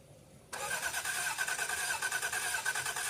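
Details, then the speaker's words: 1989 Toyota Cressida that sat for years, on a freshly charged battery: starter spins the engine steadily at about three turns a second with no firing; gauge near empty, owner suspects no fuel. Crank, no start. "Okay, guys, I don't think it's got any fuel in it."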